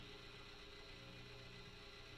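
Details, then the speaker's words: BE mini guitar amp head: a low, steady electrical hum under the signal when the channel is unmuted; normal background hum from this amp. "If I unmute the channel, there's a little bit of hum coming from the amplifier."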